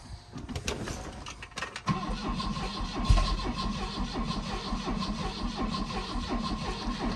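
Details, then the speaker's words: 1984 Volvo 244 GL pulled from the woods, with MAP gas sprayed down the intake: steady cranking with a few soft, uneven catches that never pick up. Weak firing and no start; owner thinks there is not enough volume of MAP gas. "It tried to fire. Fired a little bit. I don't think there's enough volume of that map gas."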